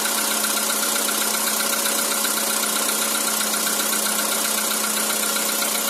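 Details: Cold engine knock on 2013 Skoda Roomster with CFNA engine; cold idle carries a faint steady light tapping about four per second over an even hum; source not pinned down.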